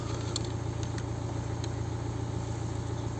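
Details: BMW 118d N47 diesel after alternator and regulator replacement for battery warning light: steady idle with even low thrum, no knocks, squeals or whine; charging at 14 V, no battery error code.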